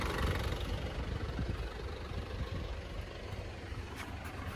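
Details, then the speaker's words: Panther diesel after an oil and compression leak repair, pistons not replaced. Low, even idle clatter with no misses or knocks, credited to good nozzles, fuel pump and compression. A healthy, smooth idle. "Mengapa gerakannya halus dan stabil? Karena nosel dan pompa bahan bakar masih dalam kondisi baik. Dengan dukungan kompresi yang baik dan mekanisme yang mumpuni, suara akhirnya menjadi halus dan stabil"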